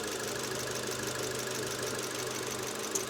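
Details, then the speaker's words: Engine at 220,000 km after replacing a timing chain stretched about 3 mm and a broken tensioner. The idle is steady, even and quiet, with the detonation and gurgling noises gone. This is a normal idle after the repair. "Вот, двигатель работает ровно, хорошо, тихо. Пропала детонация."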